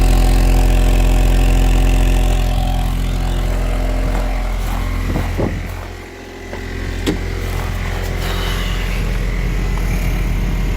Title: 1998 z24 cavalier rod knock